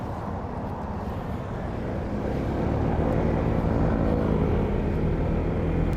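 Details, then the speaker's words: Honda ADV 160 scooter riding away after service, when its engine rattle was fixed by what seemed to need only cleaning, plus a new spark plug: engine note climbs smoothly with only wind and road noise and no rattle, so it is running normally. "Ayun oh, nawala nga. Umayos. Mukhang linis lang yung kailangan."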